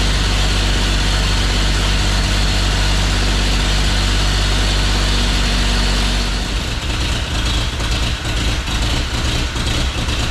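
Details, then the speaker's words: 1950 Chevy Styleline, sat over five years, first start after adding gas: heavy, uneven, lumpy idle around three beats a second with a loping wobble; a cut vacuum line plug found, possibly contributing, cause not confirmed. "Sounds like an old John Deere. Now I got a different problem. I definitely have a cut in one of my vacuum line plugs."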